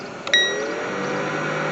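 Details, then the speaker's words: 2001 Lincoln Town Car blower fan powered directly via test probe during AC compressor, accumulator and orifice tube replacement: click, then steady even fan rush with faint motor hum; blower motor is good, blower resistor suspected. "okay right there you go you can hear the fan going there you go so the fan is good right there"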